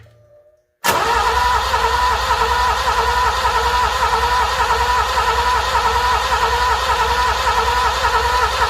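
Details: Alfa Romeo Milano (75) project car: steady even cranking drone that never fires; fuel pump not running, only about six volts reaching it, so no fuel delivery.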